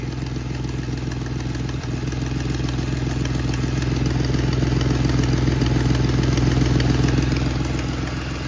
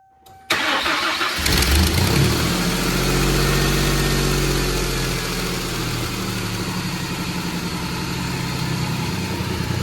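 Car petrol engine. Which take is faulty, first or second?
first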